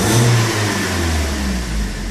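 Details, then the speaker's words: BMW M42 petrol engine, warm restart: starts immediately, then after a few seconds idles unevenly and stumbles, recovering to normal after about 20 seconds; cold starts run fine; owner suspects a dripping injector. "blijf een beetje pruttelen na 20 seconden loopt u weer normaal"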